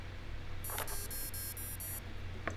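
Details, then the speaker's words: SC1300-BL brushless ESC connected to a Pololu Mini Maestro servo controller with throttle set to maximum for programming: on battery connection it plays a short rising run of electronic tones and a chirp, its normal power-on jingle. "the next I'm going to want to plug in my ESC into the um the pillola servo controller and then also the battery you'll hear a little jingle when it turns on"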